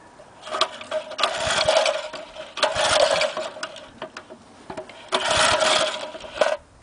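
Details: 1961 McLane edger, cold start after sitting a long time, choke pulled, low on gas: catches in bursts of a second or two, fades and picks up again, dies during every run; surging and stalling, fuel starvation suspected.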